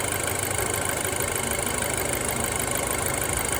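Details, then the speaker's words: Audi A4 B7 at fully hot idle, oil pressure fluctuating about 12–20 psi and owner suspects low oil pressure: engine shakes slightly, diesel-like fast metallic clatter at about three ticks a second over the hum; engine clatter at idle. "I mean, the engine's shaking a little bit. Sounds like it's running like a diesel sort of. I mean, it is idling and it's idling sort of smooth."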